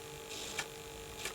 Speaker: I need to sort out that buzzing. It is irritating the heck out of me that buzzing. I don't really know why it's doing that. It's weird, isn't it? It's like almost like the sort of noise you get with RF.